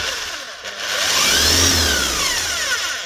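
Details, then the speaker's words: Bosch hammer powered on: motor spins up to a free, rising whine with no impact blows; no hammer action, suspected need for service or stripped gear, not confirmed. "Might just need a service if it's got no hammer. But it also sounds a little bit free."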